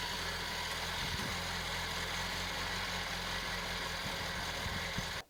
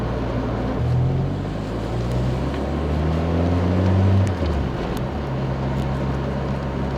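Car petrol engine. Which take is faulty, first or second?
second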